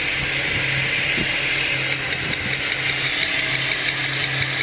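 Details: 2006 Ford Falcon BF idling: idle note keeps dropping out and stumbling unevenly under a bright hiss; engine misfiring with no check engine light on the cluster.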